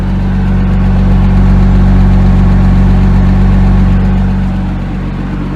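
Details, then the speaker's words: Flood-damaged 2008 Porsche Cayman S (Hurricane Helene, listed non-runner, about 15,000 miles), first start after fitting a fuse, oil not yet drained: settles into a steady, even idle with smooth low throb, no knocks or misses; engine alive, normal idle. "okay that's enough engine is alive so I don't want to crank it for too long or run it for too long"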